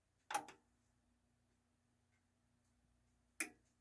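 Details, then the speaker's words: Technics SA-EX310 receiver at power-on: two sharp clicks about three seconds apart over a faint hum, the relay engaging normally. "there's the big click and it does a little pretty little light show there"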